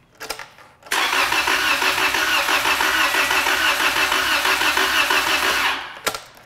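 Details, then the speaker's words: EM-141S-TY01 trainer engine cranked with injectors disconnected: about five seconds of uneven cranking at roughly three pulses a second, pointing to a built-in internal mechanical fault such as compression or valve timing; not confirmed. "does that sound normal like a regular engine cranking the guys with a lot of experience really good a lot of times it well their ears perk up a little bit when they hear it crank"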